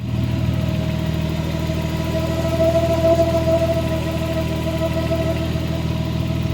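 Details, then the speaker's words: Engine idling and revved after a timing belt job where the spring tensioner was hand-pushed an extra notch: steady mid-pitched whine rising and falling with revs, belt vibrating heavily, caused by the overtightened timing belt. "so when the engine is running you can hear the uh the whining sound going up and down with the revs"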